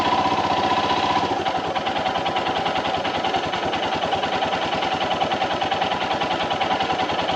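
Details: Royal Enfield Himalayan BS VI single-cylinder motorcycle at cold idle, happening only in the mornings: fast, even knocking rhythm over the exhaust beat; abnormal noise not resolved at dealer service.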